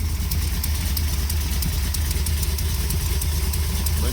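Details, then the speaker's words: 1973 Plymouth Satellite with big-block stroker V8, just revived: idle with a fast, fairly even ticking clatter around three ticks a second; valvetrain has always been noisy, louder on camera than in person; burning some oil. Valvetrain noise at idle. "by the way the valve train on this engine has always been noisy you're going to hear that really bad on camera it's not that bad in person"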